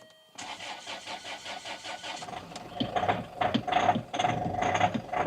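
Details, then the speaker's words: Luxury SUV with a 2.2 L diesel at 120,000 miles: brief cranking, then a hard, clattery idle with a steady knocking rhythm; the rough sound is typical for this engine and nothing is wrong. "right now that sounds like a Bag of Nails doesn't it but they always do this whole 2.2 L engine is quite reliable but they always sound really rough"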